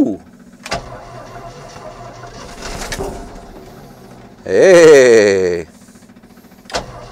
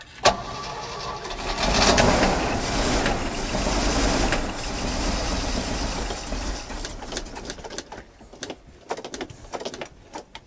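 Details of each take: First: Old car/truck revived after sitting, given fresh gas and fluids, with a possible fuel leak at the carburetor base: quiet stretch, then a short burst of cranking that catches with a rising roar before settling. Engine cranks and starts. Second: 1981 Jeep J20 4WD pickup with a 360 AMC V8, first start after sitting: it runs lumpy and uneven with irregular knocking before shutdown; oil pressure present.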